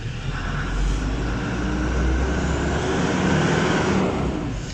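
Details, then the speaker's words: Land Rover Discovery 2 Td5 after replacing a faulty crank sensor and fitting a fuel regulator: deep steady diesel rumble swelling evenly as the throttle opens, no misfire or stumble; revving normally after repair. "and now accelerate having any problems so that crank sensor we've bought was obviously a piece of poo um looks like it's working now"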